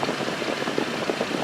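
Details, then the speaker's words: Jeep Liberty 3.7L V6 after repair (new coil, throttle control connector replugged, map sensor leak sealed): smooth, even idle with no misfires or knocks. "Listen to that 3.7 roar."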